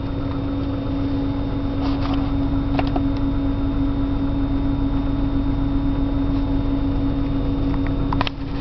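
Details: 1997 BMW 328i on a cold morning start: steady hum with an uneven, stumbling beat and occasional ticks; rough idle, cause not clear.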